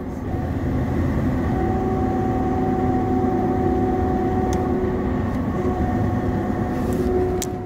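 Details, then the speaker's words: 2004 Chevy Tahoe driving: a steady mid-pitched hum over road noise that comes on with throttle around 40 mph and fades off throttle; suspected front differential whine, and the front diff is being replaced. "know if you can hear it but it makes a loud humming sound when I give it gas"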